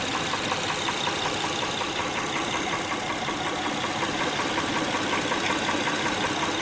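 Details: 2006 Honda Pilot 3.5L V6 at smooth idle with sharp steady top-end ticking, two to three per second. Spark plugs, timing belt tensioner and injector knock were ruled out; a defective camshaft lobe was found under the valve cover, so camshaft, PCV and gaskets have been ordered.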